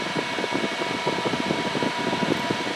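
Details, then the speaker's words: New Endless Breeze fan at its highest power setting: steady whir with a faint hum and uneven rattly pulsing; the fan vibrates enough to walk off the surface, apparently from an out-of-balance blade that needs balancing. "apparently the fan blade is not in Balance so we're going to fix that issue and balance the fan blade so it doesn't do that anymore"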